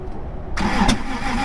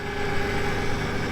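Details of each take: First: 1996 Toyota Tacoma 3.4 that won't start after lying on its side: two long bursts of steady cranking, about three turns a second, with one pop and no catch. There is spark and compression sounds good; owner suspects the timing belt jumped a tooth. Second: 1996 Toyota Tacoma 3.4L, after rolling on its side and a no-start, now running: steady even idle with smooth low thrum and regular firing pulses, no misses or knocks; healthy idle.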